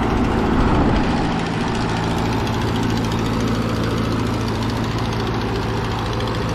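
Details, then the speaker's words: 80+ year old Ford 9N tractor idling after new coil: steady low four-cylinder idle with rough puffy chuff each firing from exhaust leak at rear cylinder four; nut shells blowing from exhaust, possible back pressure, antifreeze smell. "also a pretty good exhaust leak on the back cylinder number four still blowing little bits of shell of nuts and stuff that were stuffed up that exhaust could have some back pressure in there yet"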